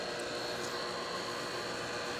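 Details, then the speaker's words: Pentair/Sta-Rite Dura-Glas in-ground pool pump after replacing the motor and seals: smooth, even hum and airy whir with no grinding or rattle; running much quieter than the loud old motor, and the water leak is gone. "we don't have any leaks motor's A lot quieter problem solved"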